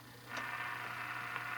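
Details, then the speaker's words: RCA Model 5T tube radio after its two wet electrolytic filter caps were replaced with 10 µF 450 V electrolytics and a couple of paper caps renewed: faint even static hiss from the speaker, no mains hum, only room noise from fluorescent lights. "so there's no hum in this at all all you're doing is picking up room uh noises from the line in the fluorescent lights and stuff like that"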